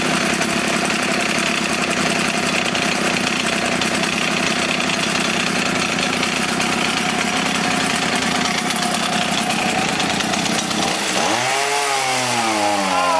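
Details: Echo HC-1600 two-stroke hedge trimmer, revived after sitting a long time: screams at high revs with a thin, buzzy note, then drops back to a wavering idle. High-speed mixture too lean.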